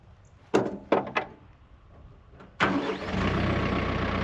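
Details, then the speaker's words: Small tractor, thought to be about 40 hp, not run for four years: a few clunks, then it fires right up and settles into a steady, even idle, quieting down over about 30 minutes of running; starts and runs normally. "Cranked it up, let it run for about 30 minutes, and you can tell now it's quieting down quite a bit. I haven't run it 4 years, so it fired right up."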